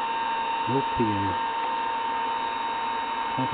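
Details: Collins airborne HF communications transmitter running on 28 V, no high voltage: steady airy roar with fixed whine from noisy cooling blowers, cause unclear.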